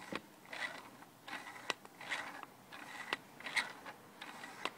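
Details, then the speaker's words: Used 1990s Canon 80-200mm lens; raspy, scratchy grinding with squeaky edges each time the zoom ring is turned from 80mm, also when pointed up; seller says it always did this, owner unsure if faulty. "almost squeaking I'm just wondering what you guys think uh is there like a a problem with the lens or is that normal because this is an old lens"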